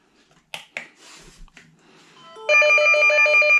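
After a few faint taps, a bright, steady, high-pitched chime repeats evenly for about a second; a normal incoming call alert.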